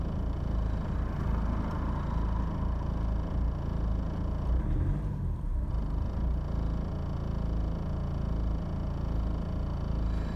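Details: 2000 BMW E46 320d 136hp with slow starting: a low diesel idle with an uneven, lumpy pulse about once a second. Rough idle persists despite new injectors, glow plugs, filters, oil and a new Bosch VP44 pump fitted after the car stalled while driving. Cause unknown.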